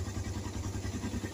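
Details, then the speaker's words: Suzuki Satria FU 150, factory-standard original engine, odometer about 97,989 km: quiet, regular single-cylinder putter at idle with even beats and no clatter or knock; sounds crisp, clear and healthy, normal idle. "dan ini suaranya masih gurih dan jelas ini masih standar pabrik kelihatan dari baut-bautnya juga kalau masih original itu belum pada belum banyak"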